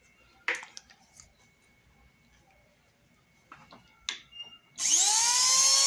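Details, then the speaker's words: Slow-running hair dryer after burning hair buildup off the heating element and applying spray: after a few handling clicks it starts and winds quickly up to a steady high whir, now spinning faster with more power. "ligou com mais velocidade com mais velocidade já ligou com mais poder de rotação"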